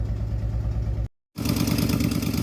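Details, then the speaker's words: Jeep with fuel-injected engine, after replacing a part that brought no change, misfire code logged (later found fried PCM): idle stumbles with uneven lumpy beat and periodic dropouts; general ignition misfire. "That is going to be the ignition, the general ignition misfire. This is the bad one. That's the one that worries me."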